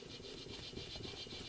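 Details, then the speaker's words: Chevy Cruze old wheel bearing hub turned by hand before replacement: dry, gritty rattle of fast rough ticks, metal on metal, so the bearing is blown, unlike the tight, silent new bearing. "it's got a lot of noise to it. It's just metal on metal. It's blown."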